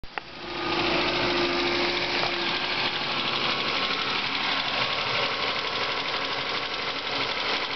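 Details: Ford Focus at idle: light, fairly steady ticking about three per second; owner suspects water pump or worn bearing, unconfirmed.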